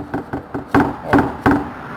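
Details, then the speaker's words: 2019 VW Saveiro G6 (also Gol 1.6): six hollow knocks as the engine is rocked, also when pulling away uphill; the cause is a loose engine mount rubber bushing, possibly left unseated after maintenance. "na hora que você pega uma subida que você sai com ele ele bate tudo amor o barulho é mais ou menos isso daqui"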